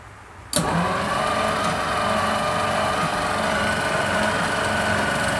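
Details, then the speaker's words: 1939 Packard after rewiring, with the coil tested within spec. Steady fast cranking at about four beats a second never fires. No spark is seen, and new points and a condenser are needed: cranks but no start. "okay i can't see spark that's it till we get some points and a condenser so no spark kit thanks for watching"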